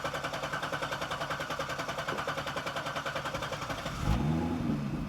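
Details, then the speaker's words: 2011 Chevrolet Corvette 6.2 L V8 with P0300 misfire code and power loss, cranked with accelerator fully pressed (clear flood mode): even, regular cranking about 3.5 pulses a second, uniform compression, no clunks or scrapes. Normal cranking, no mechanical problem suspected. "The engine sounds good. I don't think we have a mechanical problem with this engine."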